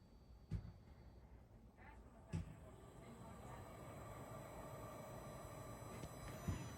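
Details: Diesel air heater starting in cold weather: a faint fan whir slowly builds over several seconds with a few light clicks while the glow plug heats, a normal startup.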